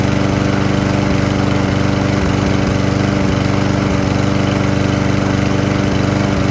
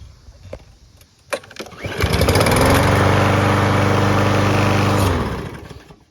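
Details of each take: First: Single-cylinder lawn mower engine running on isopropyl alcohol, recorded next to the exhaust: a steady beat near idle with brief occasional hiccups, about 95% smooth with no smoke. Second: Lawn mower small engine, a little dirty, started on regular gasoline before an isopropyl alcohol test: starter pull, catches at once and holds a steady, even beat for about three seconds before shutting off; normal running.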